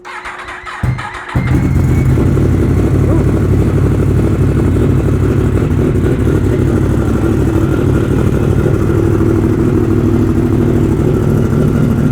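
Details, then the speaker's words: Ten-year-old 2015 Yamaha R1M that wouldn't run: after starting, the four-cylinder runs loud but lumpy and uneven, like about 3.5 cylinders. Misfire. "No, it doesn't sound very good at all. Well, that's probably not great. I think we can get that fixed up though. Sounds like it's running on about 3.5 cylinders, yeah."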